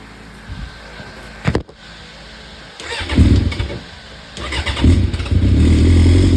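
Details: 2004 Suzuki GSXR600 motorcycle parked 5 to 7 years, bad-smelling old fuel vacuumed from the tank: quiet, a click, then it catches and answers several throttle blips cleanly and keeps running.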